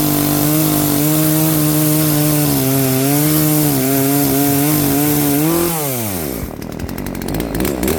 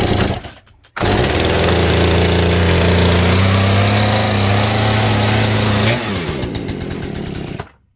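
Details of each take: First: Poulan P3416 34cc chainsaw with new Hipa carburetor after carb adjustment: crisp steady two-stroke note holding through the cut, revving down cleanly; starts, idles, cuts without dying, fixed. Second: Poulan P3416 34cc 16-inch chainsaw, hard starting and stalling, just fitted with new Hipa C1M-W26 carburetor out of the box: high buzzing rev holds unevenly a few seconds, sags and dies; carburetor needs adjustment. Rough running.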